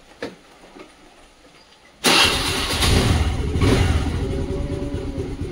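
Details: Honda Activa scooter after reseating the self-start relay, which had caused a tick-tick no-start: quiet click, then the engine catches at once and settles into a steady, even idle; normal electric start.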